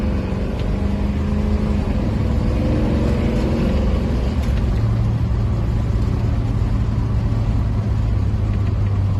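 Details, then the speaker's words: Car on cheap Temu knock-off Flowmaster two-chamber mufflers, replacing 15–20-year-old Flowmaster 40 series, with 2-inch and 2.5-inch piping: a deep, steady exhaust rumble on the drive-by, no rattle or buzz. It sounds no different from before, just without the rattle; a healthy exhaust. "Um, and the exhaust sounds no different. It's just not rattling."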